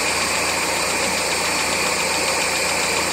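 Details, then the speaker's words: 1999 Mazda Miata four-cylinder idling with all cylinders on: light quick tapping, louder on return from revs; began after track sessions, unchanged after valve lash set and oil change, loudest near #4 spark plug; cause unknown. "that tapping right there? And if I rev it, usually gets a little louder when it comes back down."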